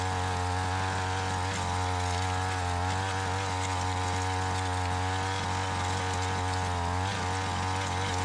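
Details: Tecumseh two-stroke Mantis-style tiller, warm after earlier running and restored from a no-start, tines in gravel; even steady drone at one speed with no misses, stumbles or surging; running smoothly.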